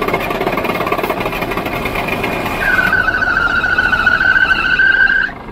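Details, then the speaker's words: Old diesel semi truck with no fuel primer, run out of fuel and sucking air, filter refilled with fuel and conditioner: rapid, uneven cranking that never catches, with a high squeal in the final seconds. "and this old truck ain't got no fuel primer where you can prime it up cause you got to you just gotta crank it till it cranks"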